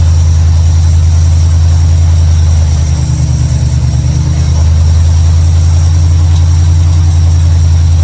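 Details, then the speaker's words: 1955 Chevrolet Bel Air, carbureted, running after ignition bypass and carburetor mixture/air screw adjustment: deep, steady idle with an even beat, no misses, stumbles or knocks; idles much better than before, a normal idle. "hell yeah man way better way better she she idles way better big time"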